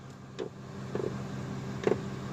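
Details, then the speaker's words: Ford F250 5.4 at quiet idle: sharp clunks as the shifter goes into reverse. In reverse the truck sticks as if put in park, while forward drive is normal. Turbine sensor and ABS sensor codes are stored; cause unknown. "I put it back in you hear that hard knock of course and that's that I mean that I have never come across this problem yet"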